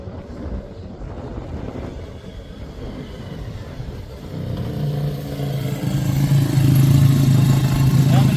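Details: Suzuki RE5 rotary motorcycle, outdoors after carburetor overhaul and setup: starts halfway through, settling into a smooth, even buzzing hum that climbs steadily, no misses or pops; normal running with carburetor set up correctly.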